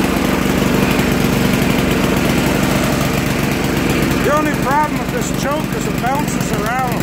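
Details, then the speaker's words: Poulan Pro 800 tiller, Briggs & Stratton 105cc, about 12 years old, first start since last fall, slowed to idle. A small engine chugs with a slightly uneven beat. Mild rough running; owner thinks the carb needs cleaning. "I think a little bit it's running a little rough, but it is running."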